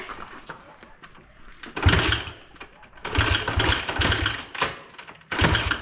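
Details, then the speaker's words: Free 1986 Honda XR80R single with low compression, started on brake cleaner after a week of attempts: short sputtering bursts that catch, falter and die; barely running from low compression and a dirty carburettor. "okay it just sounded the worst I've ever heard an engine running holy cow it finally ran"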